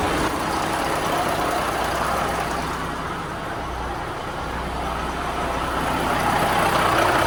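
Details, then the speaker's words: Peterbilt 359 with CAT engine after replacing the worn-out AiResearch turbo with a new PDI stage 1 turbo: steady, even diesel rumble with no rattles or knocks; the old turbo smoked and rattled, the new one runs healthy. "The old turbos research. He wasn't doing good. And this one doesn't make rattling noises."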